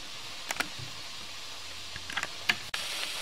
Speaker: You can hear the hissing. You can see some droplets of water being expelled by the steam pressure.